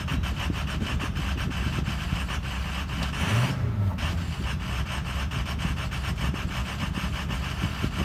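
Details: Ford Excursion 6.0 diesel with intermittent rough idle: deep uneven clatter that wavers and briefly stumbles, then settles down to normal.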